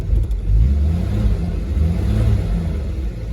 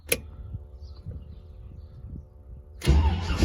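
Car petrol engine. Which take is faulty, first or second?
second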